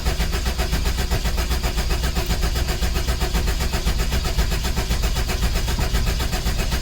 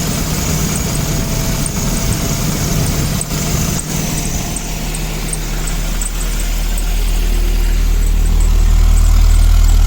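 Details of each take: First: 1984-89 Toyota Van Wagon after fuel pump replacement, cold start injector possibly still unplugged; the starter churns steadily with even compression pulses but never fires. Cranks, no start; a cut plug connector was found. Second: 1984-89 Toyota Van Wagon running on its own for the first time after fuel pump replacement and draining old fuel; steady, even low idle rumble with no misses or knocks, rising slightly in pitch; some smoke from heavy ATF mix in fuel; runs cleanly.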